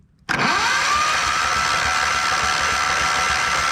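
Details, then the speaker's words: John Deere LX255 lawn tractor with Kohler 15 hp engine, sitting for years; after hard cranking it suddenly catches and runs lumpy and uneven under a thin steady whine, not happy, rough running. "H she doesn't want to go oh that that got her going she does not seem happy"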